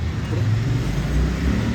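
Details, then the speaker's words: Royal Enfield Himalayan BS6 rear wheel spinning after refitting and tightening the brake pads, whose broken clamp had been rubbing inside; only a low even rumble, no scraping or squeal, bearing fine, brake applied lightly by hand; normal rear wheel spin. "ನೋಡಿ, ಇವಾಗ ಯಾವುದೇ ಥರದ sound ಇಲ್ಲ, bearing ಹೋಗಿಲ್ಲ, ಏನೂ ಹೋಗಿಲ್ಲ."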